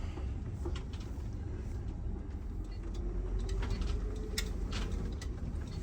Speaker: Everything feels good, sounds good. Yep. Yeah, at 52 to 55 mile an hour, this thing must just float down the highway like a Cadillac.